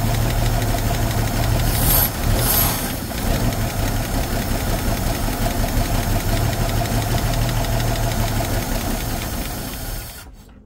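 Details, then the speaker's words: 1966 Nissan Patrol L60 inline-six, first start after 24 years off the road, running on carburetor bowl fuel: steady and deep for ten seconds, no exhaust leak, lifter tick or shake, then dies. "didn't hear any exhaust leaks no she sounded good no lifter caps no shakes no wow now like she was ready to go down the road"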